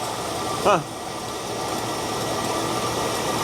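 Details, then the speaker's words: Abandoned 1975 Ford LTD (owner believes 75–76), sat 28 years, first start without brake clean: smooth soft even idle with no exhaust roar or blowing; mufflers intact, normal quiet idle. "Well, that mufflers, I mean, they they're on. They must be on and not rotted out cuz it doesn't sound loud at all."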